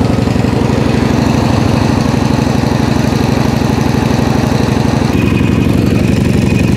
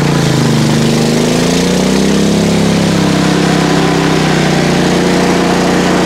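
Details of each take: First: PowerSmart MB5040B 4400 W generator, cold start at 25°F with full choke and eco mode off, no load yet: a steady, even single-cylinder chug at constant speed with no misses or knocks. It is idling smoothly. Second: PowerSmart MB5040B 4400 W generator loaded with two space heaters plus a 500 W blower on the 30 A circuit, about 25 A and 3000 W against a 3600 W rating: the steady drone drops and deepens as load comes on, then holds. The overload light flashed briefly; it is working near its limit.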